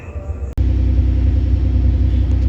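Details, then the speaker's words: Toyota 5VZ 3.4 V6 after reworking the worn, sloppy throttle body shaft to reduce play: steady low drone at a raised idle around 1200–1300 rpm, down from 1800–2000 rpm; still slightly high, not fully fixed. "Okay, doing all that work I did get it to idle down some. It's not perfect but as you see I'm what 12, 1300 maybe. It would idle up here like between 1800 and 2000 RPM."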